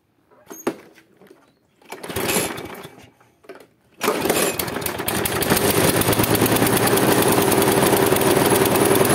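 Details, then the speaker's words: Husqvarna J55S mower with Briggs & Stratton 650 engine, worn, not starting, fired on an old spark plug with a little fuel added: runs unevenly with a lumpy beat of about four per second, puffing black smoke and limping. "kosiarka odpaliła pracuje lecz pracuje niestabilnie puszcza czarne takie bąki dymu i kuleje"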